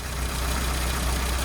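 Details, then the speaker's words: 1983 classic Mini (998) idling after the valve clearances were adjusted; heavy valve play and rocker wear were found, and the rockers were set to allow for the wear: faint light ticking over steady idle, still slightly tappy but much quieter. "Now the owner had said to me that he' done the valves and he'd had someone else check them as well, but they were they were um tapping a lot. As it turns out, uh there's a lot of wear on the rockers."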